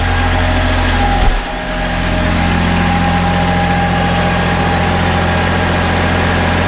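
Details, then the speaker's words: Kubota B7100 tractor driving a NorthStar PTO generator (7200 W rated): steady diesel run, then a thump as the battery-charger load of about 23 amps kicks in and engine rpm sags and labours. "uh RPMs dropped when it started pulling these 23 amps right"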